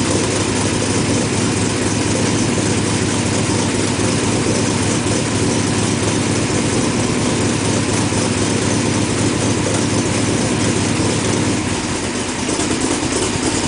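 Steady, even idle with a smooth low rumble and no misfire stumble or ticking; the engine sounds healthy and settled.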